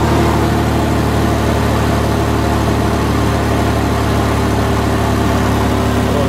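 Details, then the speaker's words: 2000 Toyota 4Runner after fuel pump replacement, leak fixed: a smooth, steady idle with an even low hum; it no longer skips at idle as it did before the repair; normal idle. "No leaks. Alright, so it starts up, runs great, no leaks. The job is done."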